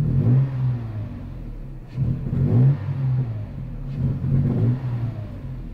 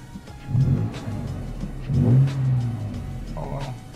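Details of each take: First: Toyota truck engine blipped in neutral with no load about every two seconds, each rev swelling slowly with a delay and sounding like misfiring; owner attributes the hesitation to a faulty mass air flow sensor, to be replaced. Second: Toyota truck after replacing a faulty mass air flow sensor (old sensor caused check-engine light, delayed acceleration, slow response): engine picks up cleanly on each blip, rising and falling smoothly with no hesitation or lag; healthy acceleration after repair.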